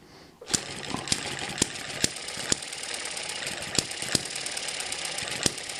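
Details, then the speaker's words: Eachine ET7 hit-and-miss model engine with stretched governor springs, below 1200 rpm: sharp single bangs about every half second with occasional skipped beats; normal hit-and-miss firing. "you can hear that the engine's running slower we're below 1200 rpm so that slowed this down quite a bit and it sounds a lot more like a hit and miss engine"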